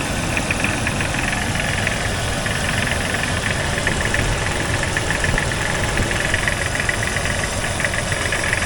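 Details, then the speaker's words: Jeep XJ just started after an engine wash, with light uneven tapping two to three times a second over idle and an air-sucking leak also heard. Owner suspects a broken or cracked piston, saying it smashes less once hot; unconfirmed. "You hear that tapping? I think that's a broken piston."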